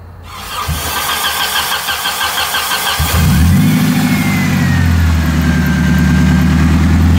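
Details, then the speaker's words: Nissan 240SX, suspected rod bearing knock (chain slap from loose timing also considered): engine catches and revs with a steady knock near three beats a second, loud from underneath and growing on throttle blips; engine knock under throttle. "i don't know i still say it's a rod baron it's pretty loud down there"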